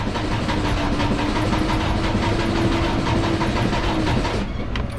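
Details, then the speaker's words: 2017 Freightliner Cascadia, DD15 diesel, about 800,000–900,000 miles, during a cranking compression test: slow, labored, lopsided cranking, struggling to start; number 3 cylinder reads 18%, low compression from a liner damaged by an over-fueling injector. "That sounds horrible, absolutely horrible. And look at that, number 3. So right now, number 3 is definitely the culprit."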